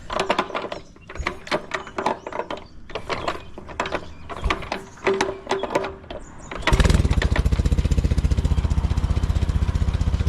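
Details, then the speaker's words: Warm engine catches after clattering and settles into a quick, even beat with no misses or knocks after replacing a failed capacitor with a salvaged 1.5 µF distributor capacitor; normal running. "this is again working nicely I've had it running for a little while so it's warm"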